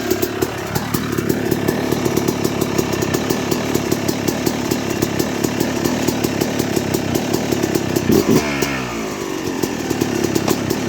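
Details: 2006 Yamaha YZ250 two-stroke, first start-up after rebuild with new main bearings, seals, OEM piston kit, replated cylinder and chain: crisp buzz climbs cleanly, holds a steady high rev, then blips down and back; revving freely and evenly.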